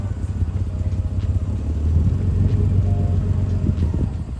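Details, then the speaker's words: Nissan 300ZX running after 9 years sitting untouched: settles from a lumpy start into a steady, fairly even run with no knocks or rattles and no smoke; sounds healthy. "listen it doesn't sound bad either sounds well nice and there's no smoke is there no well brakes"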